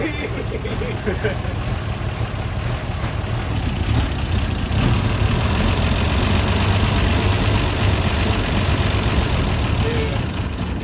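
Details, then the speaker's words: 1953 Chevy 3100 pickup, 235 inline-six first run in over 40 years, fuel squeezed from a bottle into the carburetor bowl: rough but steady idle with a loose uneven beat and slight lope; normal idle. "We freaking did it. So we did have to change our fuel delivery. We got this bottle right here and we just squeeze it to force the fuel into the bowl, and that helped getting fuel into the engine. So, and I got it running."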